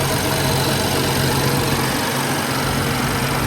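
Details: BMW 335i with an N55 engine, after oil filter housing work and a battery disconnect, heater on full: steady, even idle with a smooth low hum and no knocks or misses. Healthy normal idle.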